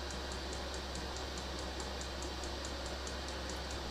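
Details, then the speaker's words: Diesel heater on 500 W ATX desktop power supply warming up, about 60 W, set to setting three: steady fan hum with crisp fuel pump tick about four per second, fan and pump on high; normal warm-up before slowing at operating temperature. "So, the diesel heater is warming up to temperature. Fan is on high and the pump is on high at the moment. So once it gets up to operating temperature, the pump will slow down and the fan will also slow down."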